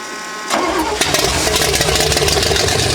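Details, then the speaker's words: Freshly built fuel-injected Chevy 350 V8 on first start on a water-cooled test stand, ethanol-free fuel, idle target 800 rpm. Brief crank, then it catches at once into a steady, even burble with no misfires or knocks: healthy start. "I just think that's incredible how a brand new engine started like that with that fuel injection on it."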